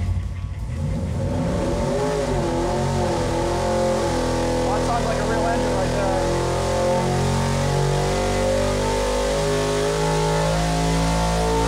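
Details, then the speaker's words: Stroked 347ci small block Ford with solid roller cam, single-plane manifold and 950 CFM QFT Black Diamond carb for a 1977 Granada, on a dyno pull from 5,000 to 7,500 rpm. Clean howl rising steadily with no misses or knocks. Made 443.5 lb-ft, peak power at 7,100. "Horsepower and 443.5 pound feet. That's nice. Yeah, and peak power happened, let's see, right at 7,100."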